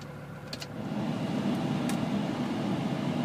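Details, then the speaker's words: CUCV military diesel truck (M1008/M1009 type) on a 20-degree cold start using a manual glow plug button, idle raised, good oil pressure: steady low diesel clatter that firms up as it warms, with no misses or knocks. Normal cold idle. "Again, that's a 20-degree cold start. Not too bad."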